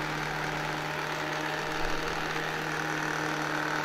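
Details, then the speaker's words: 1972 Zelmer SC hand dryer, SILMA SAZ-2 fan motor on mains, running until the spring timer cuts it off: steady even low hum with smooth air rush, no knocking, rubbing or scraping. Normal fan motor. "I zobaczcie, ostrożnie, wiatraczek zaczyna się tutaj ładnie obracać. I poczekajmy, niech on sobie pochodzi, aż ten włącznik go rozłączy."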